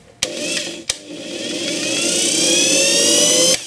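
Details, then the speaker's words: Angle grinder armature tested through a 500 W series lamp via alligator clips on the brushes, no stator power. After a switch click the motor whine climbs as the armature spins up. The lamp is too powerful; use a 200 W bulb instead. "That 500 W bulbs are too much for checking the rotor on this angle grinder."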